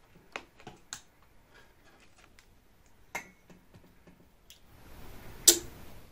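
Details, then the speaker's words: Washing machine control board relay tested on a 5 volt adapter: a few crisp, dry clicks in a quiet room as the contacts pull in and drop out; the relay switches normally. "جب ہم ان دونوں سروں کو چھوتے ہیں تو کلید کھل جائے گی اور آپ کو آواز"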